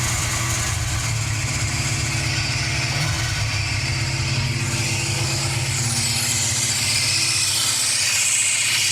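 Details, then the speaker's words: Car just restarted after possibly running out of gas, distributor replaced but not the cause: uneven, ragged idle with a thin high squeal as the belt slips and smokes; owner suspects a dragging or bad alternator; rough running with belt squeal. "you guys could hear it still running raggedy I'm sure it has something to do with this alterator"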